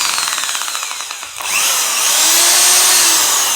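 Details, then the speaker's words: Electric drill after disassembly and fresh grease on the mechanism, tested forward and reverse: a few light ticks, then a clean, rising high whine with no grinding. Runs smoother because the grease cuts the mechanical friction that caused roughness. "jadi kalau suaranya lebih halus Hebat ya kalau kita banyak size krisis ini suaranya lebih halus karena apa itu namanya yang bikin yang buat kasar itu adalah karena gesekan mekanis nya disini tadi"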